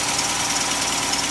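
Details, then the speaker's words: 2011 Dodge Charger 3.6 after new thermostat and coolant/belt repair, shortly after start: loud at start then calming to an even, steady whirring idle with no knocks or misses; normal idle. "But of course, you know, the engine always loud at a full start. And as you hear now, it's calming down. But she's running."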